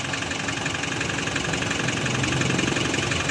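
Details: Nissan NV350 van after a cranking-but-no-start fault was fixed by replacing a flood-damaged part: engine settles into an even idle, smooth steady beat with no misfire or stumble; normal healthy idle.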